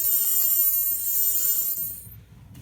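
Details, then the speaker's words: Car slowing to a stop: high scraping squeal then low rumble, brake pad wear indicators contacting; pads worn and need replacing. "yeah so brake squeal that's what it sounds like if you hear that at your window on your car or someone else's"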